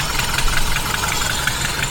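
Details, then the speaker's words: 1976 Mercury engine running rough during ignition timing adjustment: uneven, lumpy idle with sharp irregular ticking and hiss; first taken for an exhaust leak, then suspected as a leaking carburetor base gasket. "this engine runs like and it sounds like it is an exhaust leak on it and it feels like it's coming from there"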